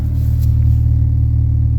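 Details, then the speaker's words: Used car at idle with lifter tick noted, after repairing a previous deep misfire: steady, even low exhaust rumble with no stumbles or missed beats; normal smooth idle. "see how smooth that sounds when I bought this car it had a very very deep misfire and you could hear it"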